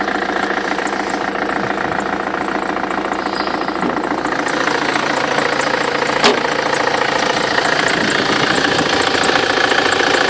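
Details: Belt squeal at idle on a BMW F25 with N47D20 diesel: a thin, steady high whistle over the even idle clatter, typical of a squealing drive belt.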